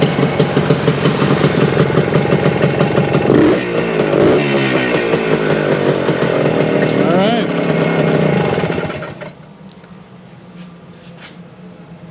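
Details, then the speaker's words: 1975 Suzuki TS-250 two-stroke with 6-volt system, after a no-start fix: stator rewired, paint scraped off frame for coil ground, coil remounted, cap replaced. Buzzy revving up and holding cleanly, then dropping back to quiet idle without stumbling; sounds healthy. "well she runs it had to do something with the wiring or the coil or something that because that's all I did rewired the stator and scraped the paint off of the uh frame remounted the coil"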